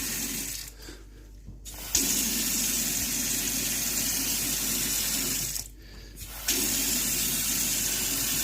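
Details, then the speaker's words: Kitchen mixer tap after replacing humming Iddis cartridge valve (kran-buksa), cold water running: smooth even hiss, no humming or whistling; hot also quiet. "всё включаем воду проверяем закрываем всё холодная вода Не гудит"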